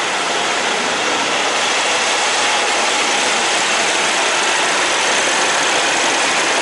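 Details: Semi truck diesel ("Big Blue") idling after oil change, filter change and fuel filter priming, during leak check: steady, even idle under a lot of hiss, with no knocks, ticks or misses; sounds healthy.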